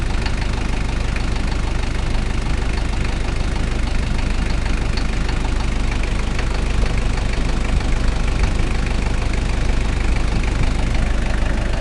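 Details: Toyota 1KZ-T diesel engine at steady idle: rough, fairly regular knock about twice a second over the low rumble; abnormal engine knocking at idle, cause undetermined.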